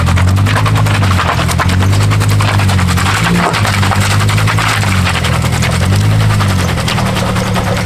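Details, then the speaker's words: Daily-driven car with a welded differential (spool) manoeuvring slowly in a car park: rapid, uneven banging chirp and chatter over a low engine rumble as the locked tyres skip and hop, shaking the whole cabin; reverse is worse. "Oh, you hear it chirping [Music] and it shakes the whole inside of the car. That's probably the worst part about it."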